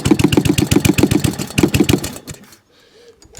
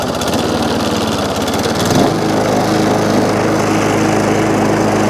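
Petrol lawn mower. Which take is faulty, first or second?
first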